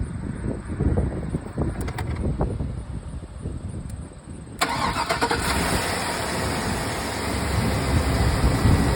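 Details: 2006 Chevrolet Silverado that would not crank, started after finding wires chewed by mice (fuses all checked good): a few seconds of cranking, then it fires cleanly and holds a smooth, steady idle with no stumbling; normal.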